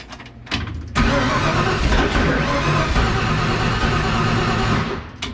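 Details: 1966 Mustang engine being started for the first time in 40 years, after the distributor advance was adjusted and with an open O2 sensor hole in the exhaust: the starter churns steadily for several seconds with a brief catch but no sustained firing; ignition timing off.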